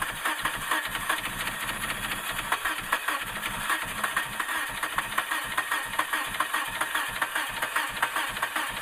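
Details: 2000 Suzuki Grand Vitara that won't start after a water pump change: starter cranks steadily at about two and a half beats a second but the engine never catches; crank-no-start, cause unknown.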